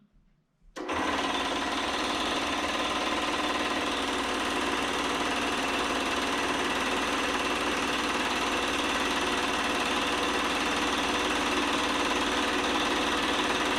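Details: Old Delta Rockwell stand-up scroll saw that had tripped the breaker within a second, blamed on a ground-out in a ripped switch-to-motor wire; plugged into a 20A GFCI it runs: quick even chatter about four strokes a second, no bogging or grinding.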